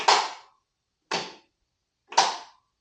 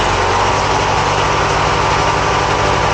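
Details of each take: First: 1980 Craftsman Indy 500 tractor with new battery, brake down and choked, turning key: three sharp clicks about a second apart, no crank; failed starter solenoid not powering starter, fixed by replacing solenoid. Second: 1980 Craftsman Indy 500 garden tractor single-cylinder engine running again after the solenoid was replaced, steady idle thump, slightly uneven and smoking a little from old fuel; the carburetor is to be cleaned and fresh gas added.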